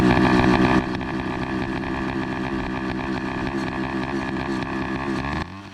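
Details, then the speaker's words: Two-stroke motorized bicycle with an NT carburetor at idle after start-up. Loud buzzy, ragged, uneven beat that sags and dips and cannot hold a steady idle; the carburetor is suspected of not getting enough fuel because its jet is too small. "what's going on is his bike is uh like having this weird idol like i was mentioning earlier because um it seems like his carburetor is not receiving enough fuel just to keep a steady idle because this jet is really small"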